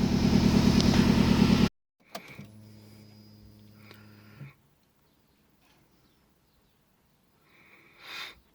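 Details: Turbo engine after reassembly of the turbo, up-pipe and exhaust seals to cure a boost leak: a strong, even pulse about three per second, smooth with no knock. Earlier knocking was the power steering pump. Check engine light on, O2 sensor suspected.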